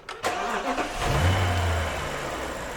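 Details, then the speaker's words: BMW N62 V8 after replacing the faulty cylinder two ignition coil that caused a misfire: sharp start settling straight into a steady, even idle, a massive improvement. "yeah straight away massive improvement i have to do much more testing i can already say that that that coil was completely stuffed"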